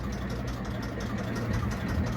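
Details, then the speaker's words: 1953 Kelvin J3 33hp three-cylinder diesel in a narrowboat, ticking over before gear engagement: a slow, even, low-pitched chugging with a steady beat and no knocks or misses, a healthy diesel at low idle. "at the moment she's just ticking over, so it goes into gear better when the engine revs are low, because you've got to think about the cones on the gearbox."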